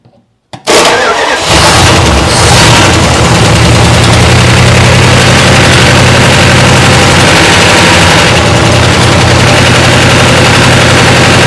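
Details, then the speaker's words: 1962 Chrysler 361 big-block that had sat for years, with no oil pressure: a loud, lumpy idle galloping about once a second with top-end clatter, possibly starved rocker arms; a stuck valve is suspected of killing one cylinder. "might have a stuck valve or something I don't know I hope it doesn't have a freaking valve"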